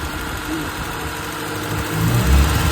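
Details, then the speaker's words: 2000 Honda City, manual, petrol, at idle with the AC on before a tune-up: the idle hunts and surges, grows louder and vibrates, but does not misfire. It also ticks when revved slowly. Surging idle. "Pagka binuksan ng aircon ang ano lang niya gigil gigil na parang umaalon gumaganon. Dagag vibrate. Oo mag-vibrate pero walang palya."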